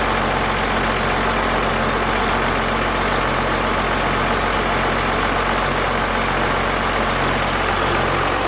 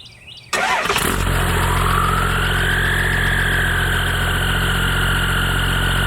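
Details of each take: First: First-gen 12-valve Cummins after a valve adjustment, idling with the valve covers off: a loud, steady diesel idle with even clatter and the valves much quieter than before; running smoothly. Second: First-gen 12-valve Cummins pulled into the garage before a valve adjustment: diesel fires and settles into a loud idle with busy clatter on top, as the valves are out of adjustment.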